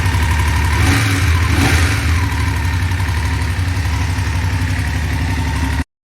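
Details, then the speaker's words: BMW F850GS motorcycle at idle: a light tick about four times a second over the engine beat. The mechanic suspects a cam chain tensioner issue; the owner is seeking an engine replacement under warranty. "the thing sounds like it's got a cam chain tensioner issue is what it sounds like"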